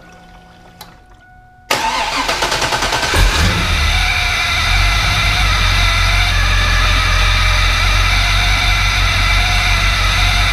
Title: Magnuson 2300 noise at idle